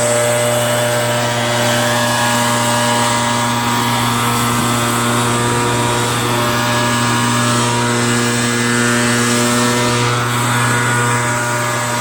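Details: RedMax EBZ8050 gas backpack blower two-stroke after new piston rings for a no-compression issue (rings very tight, hard pull, hard start): constant whine over steady fan roar, speed holding even throughout; running healthy.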